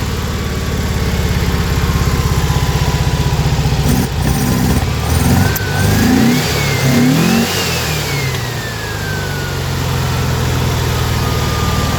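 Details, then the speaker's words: Car with Weber IDF 40 carbs clogged by ethanol fuel, new fuel pump not delivering enough fuel, another adjustment opened up: uneven lumpy running with sharp pops and irregular rev swings, flame spitting; backfiring, possibly too lean. "So, but like I said, it's got this backfire issue."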